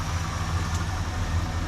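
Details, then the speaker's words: 1971 Ford LTD V8 after revival, just driven outside on its own power with reverse and drive working: quiet even idle, smooth low rumble, no misses or ticks; sounds healthy. "She's outside on her own power. How about that? Yeah, that sounds good. Something quiet."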